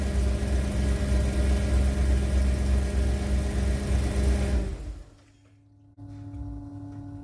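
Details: 1991 Ford Econoline E350 dual-tank van idling right after an in-place repair of a fuel tank selector valve stuck on the rear tank: steady, even low rumble with a smooth firing rhythm, then shutdown; healthy idle.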